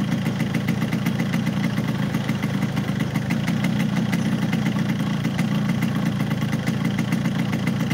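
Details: Yamaha RX King two-stroke (hard to shift gears) at idle, not ridden: dull choked uneven putter with little crispness; engine clearly down on power by sound, cause not yet found.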